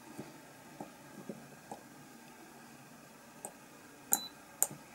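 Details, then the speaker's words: Spot welder joining 18650 Li-ion cells (Molicel P28A) during a pack build, quiet room: two sharp high clicks with short beeps as each weld fires; normal spot weld operation. "hear it click and that should be connected which is so that's our first connection done"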